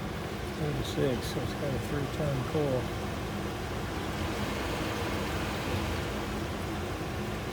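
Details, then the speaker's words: Rheem gas furnace with recently replaced circuit board, water present, earlier code 26, in heat mode: low, steady whoosh of burner and blower on the slower yellow speed, even hum, no clicks or rattles; heating normally. "like the heat's working okay definitely a slower speed that's the yellow speed"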